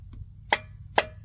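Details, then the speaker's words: 1993 Plymouth Grand Voyager SE engine, parked 18 years, turned over slowly after spraying PB Blaster on a stuck valve: three crisp valvetrain clicks about half a second apart, and the valve now moves. "see it spraying all that that PB Blaster out as it pushes it back up makes a funny noise but it's better it's moving"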